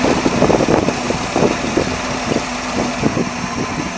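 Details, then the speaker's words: 1978 Dodge Warlock truck V8, restarted after work: steady lumpy idle with soft rhythmic pulses, no knocks or misses; sounds good, though throttle still hangs up slightly, choke needs adjusting and more return spring. "I gotta adjust the choke. Sounds really good."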